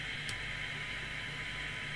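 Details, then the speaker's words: DNT HF12/3 CB27/81 handheld 3-channel CB radio from 1981, tested after servicing at a 1 µV signal: steady hiss with only a faint test tone showing through. Weak receiver sensitivity, poor beyond 1.2 µV, though improved from 30 µV. "That's 1 microvolt. So don't go rushing out buying one of these."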